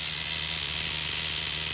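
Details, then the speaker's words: Tamiya TGS-R nitro RC car with OS 12CV engine, running after engine removal and inspection over a suspected rod bearing: shrill, steady high-revving buzz at even pitch, no sputter, misfire or clutch drag; now running clean and perfect. "This is all fixed up with that clean to it. No clutch drag, nothing. Running perfect."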